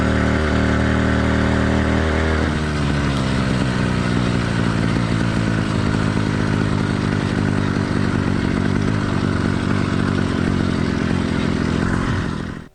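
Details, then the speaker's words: Cheap single-speed motorized-bike two-stroke kit engine with a single-circuit carburetor, cold during its warm-up phase; rough, uneven burble with skipped beats while four-stroking, which is common and expected for the first five to ten minutes. "motor's warm-up phase four stroking is not only common it's expected so don't worry too much about how it runs for the first five to ten minutes"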